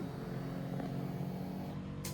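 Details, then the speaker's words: Keyless motorcycle with a failed receiver, after joining the pure yellow wire to the yellow-with-green wire to bypass it. At key-on with engine off, a quiet, steady low electric hum from the tank; fuel pump priming normally. "Siyempre, pag sinusi natin, good na yung ating fuel pump. Pakinggan natin."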